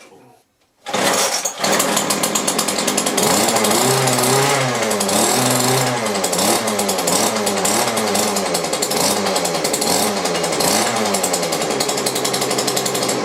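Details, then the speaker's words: McCulloch two-stroke grass strimmer, tip find, reassembled with makeshift leads and hoses, wire earth-lead rigged: catches and settles into loud rasping buzz, revs wavering slightly but keeps running; engine sound, not knackered. "Right, so I've got the engine running. I'm happy with it. It's run long enough now to know it's not a complete knacker."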